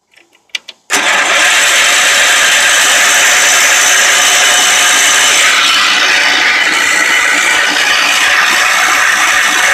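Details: Old Wheel Horse tractor after the carburetor and fuel pump were cleaned, lines cleaned, a new cardboard gasket fitted and fresh gas added: brief cranking, then the engine catches and settles into a strong, steady run with no misses.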